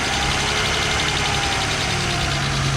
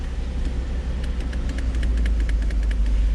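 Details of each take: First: Old Mercedes 300SL that sat for 9 years, first start and warming up at idle: a slow, uneven breathing surge in the exhaust note. Owner unsure whether the mass airflow sensor or something else is the cause. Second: Old Mercedes (called a 300SL) revived after sitting nine years, idling on its own: steady, even idle with a deep rumble and light, regular valvetrain ticking on top; runs smoothly and sounds healthy.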